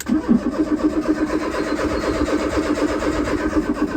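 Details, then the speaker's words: Crank-no-start on a non-running 1995 Fiat Tipo 1.6 SX that was driven recently. The starter cranks steadily at about four turns a second with no firing at all. The seller suspected the Gemini aftermarket alarm/immobiliser. "it turns and turns and turns but never fires so it has run not that long ago"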